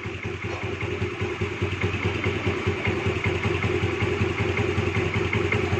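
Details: Honda Dio 4G scooter after carburetor idle and air screw adjustment: steady, even low putter at slow idle with no misses or hunting; normal, clean idle.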